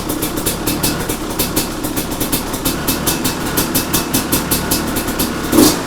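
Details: 2005 Kawasaki KX250 two-stroke, first start after full rebuild for low compression (worn piston), choke on, first kick: crisp crackle with steady pulses about twice a second as it idles and blips; runs clean and even; normal running.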